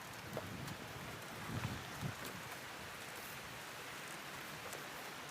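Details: High-voltage transmission line overhead, described as about 3000 volts: faint, constant rain-like sizzle with scattered crackles as current discharges off the line; normal corona discharge.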